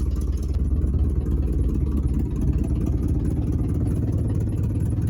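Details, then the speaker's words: 1979 Chevy C30 V8 idling on first run after eight years stored: loud, rough idle with sharp chuffing puffs and clatter each firing pulse; owner reports exhaust leaks galore and power steering not working. "the power steering appears not to work at all and there are exhaust leaks galore"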